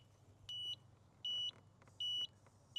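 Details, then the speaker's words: Pride PX4 outdoor mobility scooter that keeps tripping its circuit breaker, seized front disc brakes found: high shrill beep repeating about every three-quarters of a second as the controller flags a fault code; cause suspected, not confirmed. "Usually if you get beep code, something's not working."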